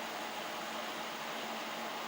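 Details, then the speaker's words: 10-year-old desktop PC after dust cleaning and oiling the cooler fans with machine oil: soft, steady airy hiss with a faint low hum, fans spinning smoothly and quietly, the loud hum gone. "ну теперь проверим помните как он гудел самом начале слушайте теперь сейчас по моему разница очевидна"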